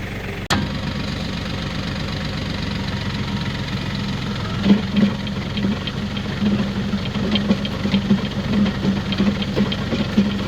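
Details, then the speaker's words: Woodland Mills WG24 3-point stump grinder driven by tractor, lifted and spun up for a test at about 85°F: steady low drone at constant speed, even and smooth with no wobble or knock, like a big flywheel; normal running. "sounds good don't it you see how there's no wobble in that like a big old flywheel"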